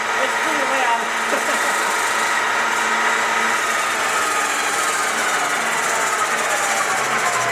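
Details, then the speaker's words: Soviet 1966 Stanko 1a616 lathe in second gear at high spindle speed, about 2200 rpm, slow to spool up and down: steady mechanical whir with constant gear hum, no knocking or grinding, heavy-sounding; normal running. "yeah right it takes a bit of time to spool up and down just kind of dangerous but it's pretty cool this is a very like heavy sounding machine"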